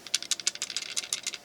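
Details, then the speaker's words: Ruger BX-25 25-round magazine for the 10/22 rifle, shaken after the jam fix (a .22 casing added to take up follower slop): light metallic rattle in quick bursts, about six per second; slight rattle left is normal and needed for the mechanism. "you don't want it to where it's not rattling at all it needs to have some space in there for movement in order for the mechanism to work correctly a little bit of rattle is good a lot of rattle is not"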